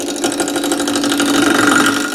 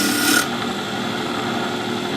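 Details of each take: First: Wood lathe roughing a square blank for a top with a gouge at slow starting speed: steady motor hum with light, quick ticking as the corners clip the gouge; normal until the blank turns round. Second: Wood lathe turning a top blank now round, sharp gouge cutting: steady, unbroken rasp with no corner ticking; chips now come off in longer strings, a smooth continuous cut.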